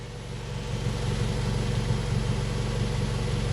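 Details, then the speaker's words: Nissan Primera P12 after filling exhaust holes with repair putty, engine idling to dry it, microphone by the exhaust: steady, even low burble, no puffing or hissing, previously blowy; exhaust now sealed and normal. "doesn't sound too bad it sounds pretty normal at idle now"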